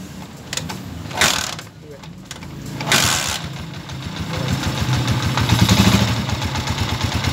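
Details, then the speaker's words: TMX155 motorcycle single after timing gear replacement: after a couple of starting attempts it settles into an even, steady idle, the earlier tinny broken rattle inside the engine gone; normal idle. "yan po yung andar niya makaka Okay yan nawala na po yung tunog l at saka yung lato sa loob"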